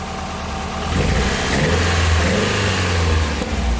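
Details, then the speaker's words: Nissan 240SX S13 with straight-pipe exhaust, still smoking and timing not yet set, after earlier breaking up and popping: loud raspy exhaust climbs smoothly through a rev and settles, even pulses, no misfire; healthy rev. "it actually sounds even better than when i started before running really healthy"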